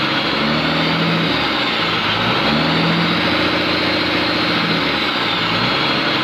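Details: Komatsu PC200-8M0 diesel engine running after overhaul: steady, even idle with smooth low drone, no knocks, rattles or hunting; healthy normal idle.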